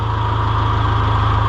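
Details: John Deere 2020 HU tractor at steady, even low diesel idle with hydraulic pump running smoothly, no knocks or surging; healthy just after start, before the hydraulics slow down the longer it runs.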